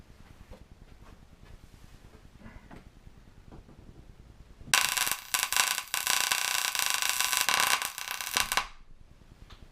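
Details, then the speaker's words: Paradigm PW 2100 v2 subwoofer, power supply board removed from the case and plugged in: loud sizzling crackle and sharp pops for a few seconds with smoke, arcing or a short on the amplifier board; fire hazard. "you see there that's what the noise is somewhere in that circuit board we're getting some cracking and some popping"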